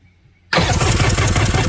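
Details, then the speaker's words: Kawasaki 1100 STX jet ski, middle cylinder no spark despite swapped boot and plug; suspected igniter, coil or loose wire: cranks then catches with rough, lumpy, uneven beat from dead cylinder. "i've swapped the boot i've moved the number one plug that was firing to there to double check still no fire so that tells me that either the igniter isn't firing on that middle cylinder or the coil is bad or there's a loose wire in that box"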